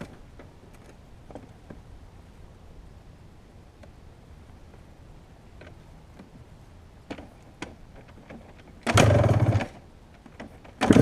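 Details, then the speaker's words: 1997 Yamaha YZ250 two-stroke: starts and idles unevenly, pitch wandering up and down in an erratic sputter; won't idle without throttle; owner unsure whether a crank seal or throttle adjustment is the cause. "But 10 15 minutes into warming up, it started that sputtering erratic idle, up and down, all over the place."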